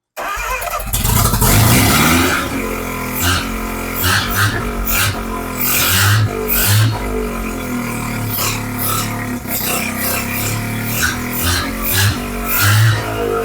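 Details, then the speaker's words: Mazda RX-7 12A rotary, open exhaust, restarted with choke after vacuum leaks were plugged by hand: loud choppy brap-brap idle that holds steadily with no throttle input; normal idle, vacuum leaks suspected of causing earlier stalling. "that's nothing it's idling no hands"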